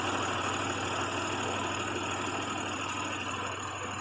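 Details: Pontiac Grand Prix at idle: rough, lumpy misfire about three beats a second; coils on one side dead, swapping a coil didn't help, so the ignition module has failed.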